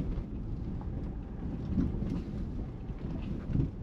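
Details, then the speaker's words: Hyundai ix35 2.0 automatic driving on the road after rear suspension repair of a shock absorber that had been rubbing: even low road rumble and a little wind with no clunks, replacing earlier banging at about 40 km/h when braking. "agora sim é o barulho normal do carro né"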